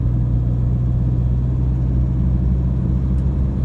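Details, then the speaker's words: Toyota Hilux Vigo 3.0 D4D 1KD-FTV diesel after injector replacement, accelerating 1500 to 2000 rpm on road test: smooth, deep rumble building evenly, no knock or rattle, markedly quieter than before. Normal diesel acceleration. "so definitely a complete it's chalk and cheese it is i can tell you from my experience it's uh very nice and quite acceptable to drive for what a hilux is"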